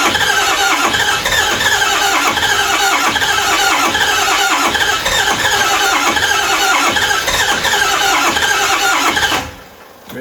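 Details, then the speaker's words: 2005 6.0 Powerstroke diesel with ZF6, sat about 10 years, cranking after glow plugs cycled: steady high squeal over rapid starter churn, about three beats a second, never catches; owner says fuel pump sounds bad and some injectors aren't firing. "man that fuel pump does not sound good and I can hear that a few of the injectors are not firing but we'll see"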